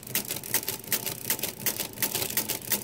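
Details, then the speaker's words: Repaired Marchant XL mechanical pinwheel calculator, cranking to count up the accumulator: rapid even crisp clacks two to three per second; stop detent weak, hard to feel full rotation. Normal counting with carry. "now put one on here see you know I'm counting up one of my accumulator"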